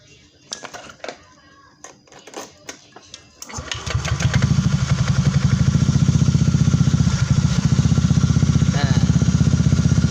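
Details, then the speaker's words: Honda Beat scooter after repair of a rattle in the CVT area first thought to be the gearbox: a few clicks and kick-start taps, then the engine catches and settles into a steady idle with no rattle from the CVT. "Sudah tidak ada suara kasar lagi"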